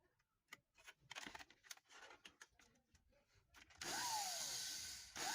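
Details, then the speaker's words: Man blender that would not turn on, after replacing a worn-down motor carbon brush that made poor contact with the rotor: the motor snaps up to a high, even whir with rising whine and runs normally. "Listo. El motor queda en funcionamiento."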